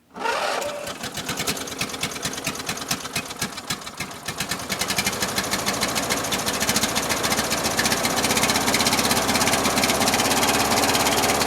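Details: Briggs & Stratton opposed-twin with Nikki carburetor, restarted on choke (owner suspects a weak battery): clattery, uneven firing that gradually smooths. Runs rough and rich; fuel pump leaking. Owner suspects wrong float level and/or worn fuel pump gaskets.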